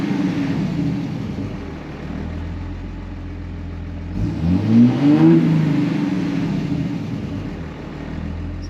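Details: 2005 Ram 2500 diesel after replacing the FASS lift pump and fuel lines: steady diesel clatter at idle, then a clean rev that climbs and falls back smoothly without stumbling; good oil pressure. Normal idle and rev.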